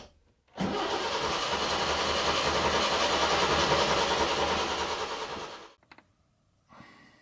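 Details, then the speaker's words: Datsun 120Y petrol engine, fresh fuel now reaching the carb; about five seconds of steady cranking without catching. Hard starting; the points then gave no spark, and previous owner suspected worn ignition components. "the guy I bought it from told me that he thought that it was ignition related and the ignition components are really worn so uh that could be the case"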